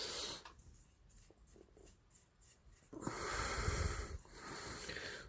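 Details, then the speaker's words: Late-1960s/early-1970s Johnson 40hp twin outboard, hand-turned, very stiff at one point of the flywheel rotation: breathy hissing bursts as air escapes from the cylinders when forced over; cause not confirmed. "y'all really force it but you can hear the air hissing out of the cylinders"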